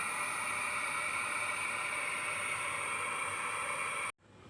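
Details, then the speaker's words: JBL Cinema SB400 subwoofer with crackling fault, IC removed: constant loud hiss with faint steady tones, cutting out abruptly near end; fault traced to failing output IC, later replaced with new IC. "We removed this IC, yet there is a hissing sound."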